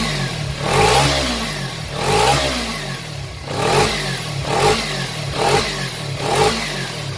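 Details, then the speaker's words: Kawasaki Ninja 250cc motorcycle, six years old: about six clean, even throttle blips with no knock or rattle; engine and exhaust still sound truly smooth. Healthy engine running. "Nah, walaupun motor ini sudah berjalan 6 tahun, tapi suara mesinnya, suara knalpotnya masih benar-benar halus."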